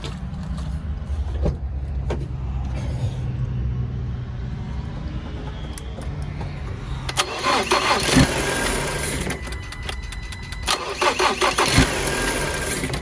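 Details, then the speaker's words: Salvage 2019 Ford Transit Connect during rebuild: starter churns briefly, engine catches cleanly and settles into steady, even idle; sounds healthy. "so starts up just the same uh all the starts up are sounding the same so that sounds healthy for the motor"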